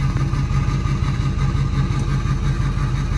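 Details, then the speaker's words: Ford 6.0 Powerstroke diesel truck limping home with ICP sensor unplugged: heavy, uneven loping thump at idle, about three beats a second and stumbling; rough running due to unplugged ICP sensor. "i have the icp sensor unplugged that's why it's running real rough but it's running"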